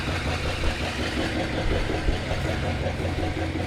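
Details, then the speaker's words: Truck with a 390 V8 and Flowmaster mufflers, with an exhaust leak and a twisted alternator belt on its bracket. Deep, steady, even rumbling idle with no knocks or misses: it runs well. "sounds pretty good it's got flowmasters on her so i'll be using those on that 66 most likely runs really good"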